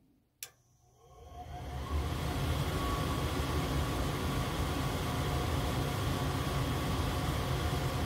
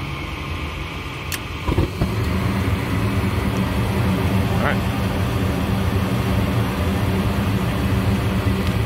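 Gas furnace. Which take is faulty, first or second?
first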